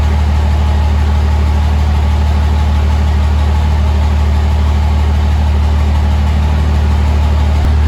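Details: 2005 Cummins diesel build, first start after rebuild: steady, even low diesel clatter at idle, about three beats a second, no misses or odd knocks; healthy idle, check engine light (owner suspects MAP sensor).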